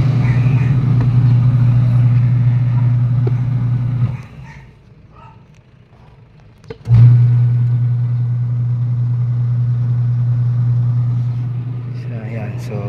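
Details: Camel twin-tub washing machine whose wash motor had an open winding and a failed capacitor, repaired and spinning again: a steady low hum, a short stop, then an even restart; the wash motor sounds healthy, though the dryer spins weakly.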